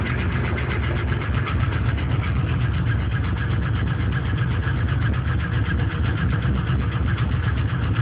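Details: LS1 aluminum V8 from a C5 Corvette, on 10W-30 conventional oil, cold fast idle: dull, uneven tapping about four per second; owner suspects piston slap, unconfirmed; runs strong, no leaks or smoke.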